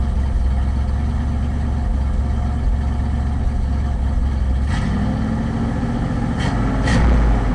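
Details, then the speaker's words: Ford F-100 with a remanufactured Motorcraft two-barrel carb, started cold at about 65°F and warmed to normal temperature: low, lumpy idle, about three to four stumbles a second; misfire at idle, carb adjustment and a vacuum leak suspected. "still is missing so we're gonna go ahead and try to get the carb adjusted as good as we can"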